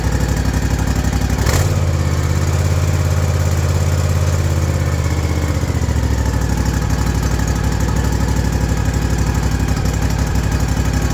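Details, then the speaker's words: Ariens Ikon mower, Kawasaki FR691V V-twin, 5 hours old, which surged at idle since new. After cleaning debris from the carburettor and fitting a new fuel filter, it idles low and even without hunting. "thank you it seemed to fix it hope it helps"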